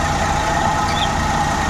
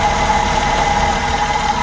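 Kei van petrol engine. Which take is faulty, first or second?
second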